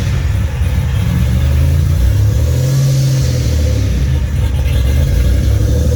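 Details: Fully built 3800 V6 race engine on its first start after the build, fresh coolant fill: deep note rising and falling cleanly through several blips, no knocks, rattles or misfires, no leaks; normal revving.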